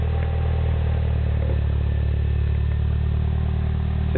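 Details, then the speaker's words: 2008 Mini Cooper Clubman S, turbo 1.6 petrol, 6-speed, stainless MagnaFlow cat-back exhaust, cold start after a week sitting: steady, even low burble at idle with no misses or rattles; normal cold start idle. "it's kind of got that low burble to it I like it it sounds pretty cool"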